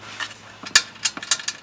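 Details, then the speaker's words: Subaru WRX with a newly installed Twisted Motion 20g turbo: light, uneven metallic rattles in quick bursts. First feared a damaged turbine; it was the loose internal wastegate flapper. Planned fix: a bracket to hold it shut, since an external wastegate is used. "So I installed it, put everything together, and ran it, and I heard a rattling sound. I figured the turbine inside was chewed up."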